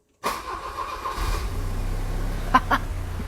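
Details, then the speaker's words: Volvo 760 Turbo first start after head removal with new cylinder head and valve stem seals (had blue oil smoke), coolant cap open to bleed air: very short crank, catches instantly, slightly rough uneven idle; normal start. "Vous entendez ça? Quart de tour, ça s'appelle."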